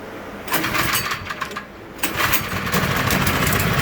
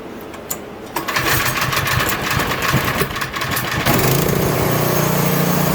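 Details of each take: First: Troy-Bilt Squall 210 snow blower (model 31A-2M5E711) that wouldn't start after sitting with fuel and surged when it did. After ultrasonic carburetor cleaning it catches, stumbles briefly, then runs evenly and steadily: normal running. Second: Troy-Bilt Squall 210 snow blower (MTD engine) that won't start or dies and surges after sitting with fuel, on full choke: pull catches, runs rough and uneven; bad fuel or gummed carburetor, later ultrasonically cleaned.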